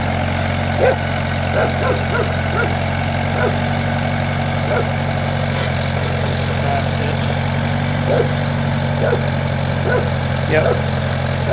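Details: 1978 International Harvester Cub tractor, starting after rain: deep, even idle with a steady low beat and no knocks or misses throughout; engine sounds healthy and reportedly doesn't smoke.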